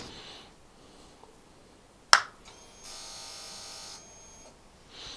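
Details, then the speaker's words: Motorcycle at key-on after kill switch reset; kill switch was given a tiny squirt of WD-40: click, then a short steady high buzz about a second; normal fuel pump priming. "And you can hear clearly the fuel injection starts to work."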